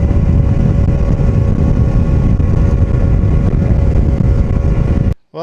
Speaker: Going to run it for just a little bit, try to crank it again, see what it does. Sounds good so far.